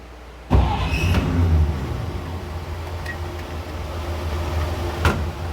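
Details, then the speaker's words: 1953 (or 1952) Chevrolet pickup with a carburetor, sitting in a shed about 15–17 years since before Katrina on non-ethanol gas, on its second start. It catches almost at once and settles to a steady, even low idle. Normal start. "That's pretty good. We're not being cranked in so long."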